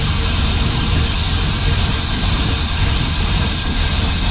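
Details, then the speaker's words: LS1 V8 in a 1951 Chevrolet custom with Holley Terminator X Max ECU, first start after re-pinning miswired coil sub-harnesses; lumpy, loping rough running that sounds like a bigger cam. Owner unsure if misfiring and suspects his homemade plug leads; needs new plugs. "I don't know why it's running so rough, but I don't know whether it's missing or or what."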